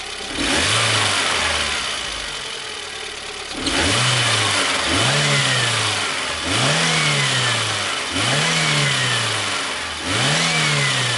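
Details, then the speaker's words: VAZ 21099 engine blipped in quick revs, thin high whistle rising and falling with each rev from right side under hood; belt suspected but alternator found whistling and throwing sparks. "Тут, конечно, плохо слышно. Вот, мы слышим свист."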